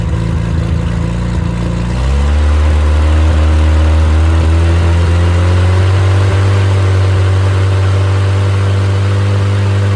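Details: Rebuilt engine that had seized from two swapped rod caps, now with corrected caps, new bearings, stock cam and low-compression head (~125 psi, #3 130). It catches cleanly and revs smoothly with an even, deep tone and no knocks. Oil pressure is 75 psi at start, at least 65 psi warm above 2500 rpm, and 40 psi at hot idle. Runs healthy.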